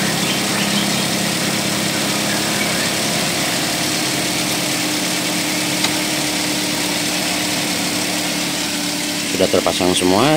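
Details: Car with overheating from radiator fan not spinning, idling after radiator topped up: even steady idle with no knocks, misses or surging.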